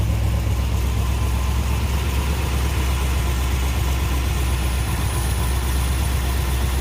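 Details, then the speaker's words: Truck after swapping the mechanical fan for electric fans, engine warming, fan not yet on (set to kick on at 185 °F): deep steady even idle rumble, quieter; normal idle. "much quieter up here the fan still hasn't turned on yet"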